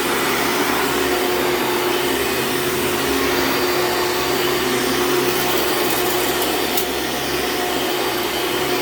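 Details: Hoover Dimension Supreme vacuum running on a living room rug: loud steady roar with a faint thin squeal on top; the belt is going out and squeals immediately on the rug, with a burning smell; worn, slipping drive belt.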